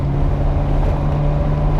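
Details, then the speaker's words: Ferrari with a rebuilt engine, one coil bank disconnected: a lumpy, uneven thrum at about 1000 rpm idle, running on one bank and misfiring on the other. The rear plugs still burn poorly even with the ignition modules swapped; cause unresolved. "But the weird thing is, when I swap them over, I then expected the plugs to look different front to back, and yet on the front they are still burning properly, and on the back they're not, with the modules swapped."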